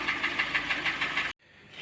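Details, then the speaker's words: Hyundai ix35 G4NA engine, about 140k km, before overhaul: steady rapid tapping knock about six to seven beats a second from scuffed pistons, knocking worse when throttle applied. "нормально стучит а газу подаешь он еще больше начинает стучать такой вот красивый автомобиль"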